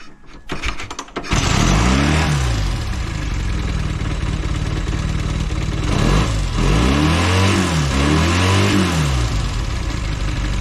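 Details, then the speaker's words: Velocette LE twin after clutch and points adjustment fires after a few cranks, then settles into a quick, busy idle with some blips at about 1300 rpm; the idle is set too high. "Says it's doing 1300 RPM at the moment, so I may need to adjust the idle a little bit."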